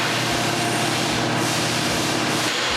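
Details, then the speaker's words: 2019 Nissan Murano, 244 miles, overheating because cooling fan relays were missing; with relays fitted, electric cooling fans run with a steady even whoosh at mid then low speed, no rattles; fans now working. "Look at that, my fans are on. Let's get all of this stuff out of here. See? You can hear it. We got mid speed, you can hear it slow down. We got low speed, you can hear it slow down."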